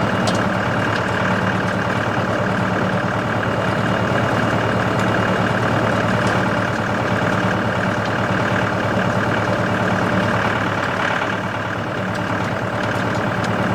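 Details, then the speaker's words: Tractor driving a CountyLine post hole digger with 12-inch auger in hard clay: steady, even engine drone under load as the auger turns, no clunks, squeals or grinding; digger operating normally. "alright guys this thing worked flawlessly it worked really nice"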